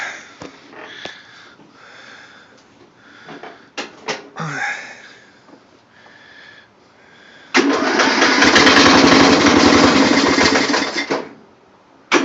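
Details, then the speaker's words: Murray riding mower engine after a rebuild, cold start at about 50°F: fires straight up and runs a smooth, even idle for a few seconds before shutting off; healthy start, though it smokes a little. "but the engine runs really good after the rebuild"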